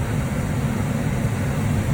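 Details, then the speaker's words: Lennox ML180 gas furnace in a crawl space, no-heat call traced to a dirty flame sensor; after the fix the control light shows slow red (normal call for heat), then a steady low blower-and-burner rumble with no rattles or squeals, normal furnace operation. "So we just got a slow red, which is just normal operation with a call for heat. So looks good. Still waiting on the blower, and here we go. It's on."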